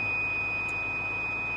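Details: Newly bought bus at the fuel pump, with its 192-gallon tank: one pure steady high whistle with a faint low rumble, constant throughout; owner guesses a valve letting air out, unconfirmed.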